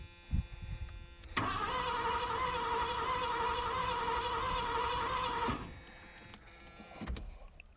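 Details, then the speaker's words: 1986 Ford Bronco cranked about four seconds with a spark plug pulled and grounded to check spark: steady whine, even compression beats, no fire; spark seen and the plug was wet with fuel. Cranks, no start. "What that lets me know is that we got spark and we got fuel because the plug was wet"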